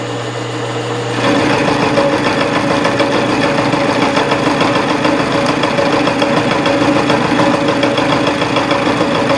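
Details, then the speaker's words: Reverse boring on a mill, 0.020 inch cut, machine not yet sped up to 107-108 SFM: rough chattering hammer over spindle hum, steady, a highly interrupted cut, though finish better than expected. "so here's a what 20 thousands inch cut sounds like you it's still highly interrupted and hammering but the finish is not near as bad as I thought it would be"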